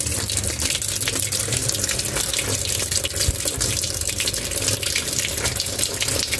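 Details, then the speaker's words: Single-tub automatic washing machine being tested for a drain that won't empty: a steady, even rush of water filling the tub before the drain test, with no stutter, buzz or hammering; normal inlet fill. "Nah, ini buat ngetes nanti ya, air sudah ngalir ya. Nah, ini air lagi ngisi."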